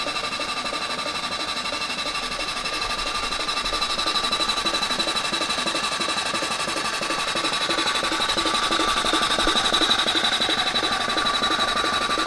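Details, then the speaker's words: SOHC Honda CB750 four-cylinder in a 1980s Suzuki Quad Sport 230, dormant for years, cylinders freshly lubricated: steady, even starter whir at about three turns a second with no grinding or slipping. Normal cranking, ignition not yet checked. "starter sounds great yeah man so you just got them nice and lubricated basically uh yeah the cylinders are well lubricated right now good"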